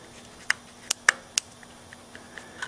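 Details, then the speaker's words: Honda engine on a go-kart with points and condenser ignition, engine stopped, points jumped with a screwdriver: sharp, irregular spark snaps several a second; spark is present, so the dirty points are to blame. "Yeah, I can hear the snapping. So, definitely is just points. They're dirty."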